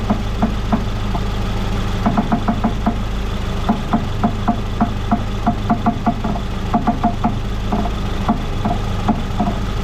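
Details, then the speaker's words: 2014 Ford Fusion on the ground, steering at full left lock: sharp irregular pops about three a second over the idle, from an electric power steering motor that a broken bolt let separate from the rack, with corrosion; new struts did not fix it. "Now I'm going to lower the vehicle down, and we'll see if we can hear that popping noise from that motor to gear."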